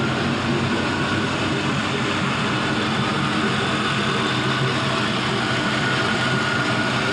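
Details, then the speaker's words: 5.3L Gen 3 LM7 V8 with 180k miles and new water pump, idling during warm-up: steady, even, unchanging rumble with no knocking or rough firing; normal warm-up idle. "Warming up good."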